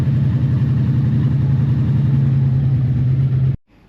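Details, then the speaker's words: 1984 Honda V65 Magna VF1100C barn-find motorcycle at low idle, uneven stumbling beat as a cylinder drops out (running on two cylinders) after about 10 miles before it shuts off; misfire at idle. Owner suspects fuel not reaching float bowls, or pickups or CDI. "okay you can just hear it [Music] it's I wonder if there's fuel getting to those float bowls"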